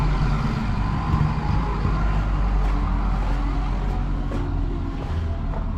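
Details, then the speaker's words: Old mechanically injected Caterpillar 3208 diesel truck, sat about a year, cold morning, ether used, owner suspects stuck valve under fuel cutoff solenoid: uneven churning chuffs struggling to catch; fired after about an hour bleeding injector lines. "he's cold morning it's hard for these old diesels to fire up so after about an hour finally got this thing to fire"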